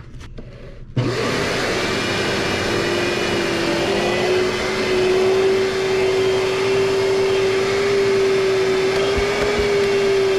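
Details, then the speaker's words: Kenmore Progressive 21614 canister vacuum after repair, power nozzle running: steady drone with wavering mid-pitched hum pulsing unevenly about four per second; power head motor sounds bad, though suction works. "Oh, the power head motor doesn't sound great. This motor, wow, just sounds bad."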